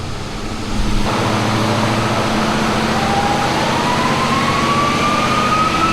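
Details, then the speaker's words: Twin-turbo Pontiac LeMans on a chassis dyno (eBay turbos, BTR stage 2 cam), boost dropped to 10 psi: loud full-load climb turning ragged and stuttering, breaking up at 5,500 rpm with power dropping off; spark blowout suspected, not confirmed. "You can hear it breaking up at 5,500 RPM and power is dropping off."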